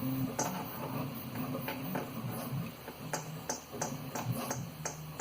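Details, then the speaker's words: 3D printer extruder fan, about one month old: light taps give a thin metallic ring from a worn bearing, unlike the stock Noctua fans. This was the real source of a rattle first blamed on the X-axis rods and bearings. "there's the initial tap but this guy here has the initial tab plus a ring and that's really it's relatively a one month old fan"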